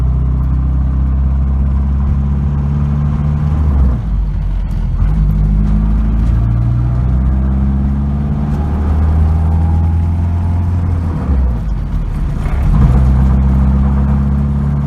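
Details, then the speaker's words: 1992 Nissan 240SX hatchback idling as the clutch pedal is pressed down: rough rattling, scraping undertone that shifts with the pedal; owner suspects a bad clutch, not confirmed. "This is 92 Nissan 240SX. And show you a symptom of a bad clutch. I have to press this down."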